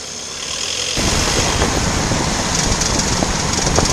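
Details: VW Passat B8 on throttle release in first or second gear, 2000–2500 rpm below 15–20 km/h: faint irregular ticking over engine and road noise, worse turning right, absent in neutral; worn outer CV joint, replaced and solved.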